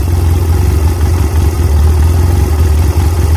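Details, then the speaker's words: Chinese 250cc ATV (Kazuma/Taotao type), not run in about 10 years, after cleaning junk from the carburetor main jet and adjusting the air mixture screw out until it wouldn't cut off: steady, smooth single-cylinder idle with no stumbling, holding a good idle. "um out until i could get a good until it wouldn't cut off and it's pretty decent that's the best it's done so far and it's holding a good idle"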